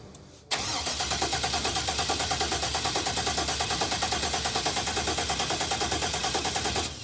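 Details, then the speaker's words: Car with an aftermarket ECM, fuel relay clicking: even cranking at about three compressions a second that never catches, with no fuel pump hum heard after fuel was added; crank no start, fuel pump not running. "That's disappointing. I never heard it pump. You heard it earlier though, right? I heard it earlier when there was no gas in the tank, but now I don't hear it. The pump's not pumping."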